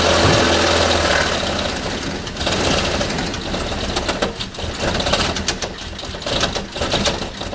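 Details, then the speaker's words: 1989 Toyota Corolla engine that isn't running right: rough, uneven running with a heavy knock about two to three a second; suspected rod knock, failed connecting rod. "it's actually not my car it's my sister's car and uh the engine's not running right sounds like it's knocking"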